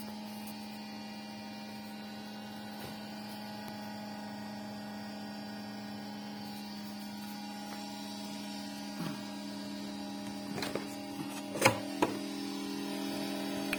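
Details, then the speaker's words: Creality Ender 6 3D printer running: steady, loud electrical-sounding hum near 200 Hz from the base, top fans not spinning, with a few handling clicks; cause unknown. "showing that the fans on the top are not spinning. The sound is coming from the bottom."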